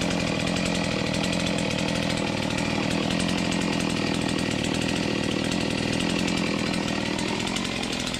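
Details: Stihl MS250 chainsaw cutting after replacing the crank bearings and seals, which had caused a rattle and grinding when cutting before. It holds a steady high-revving scream through the cut, smooth with no rattle; the bearings sound healthy.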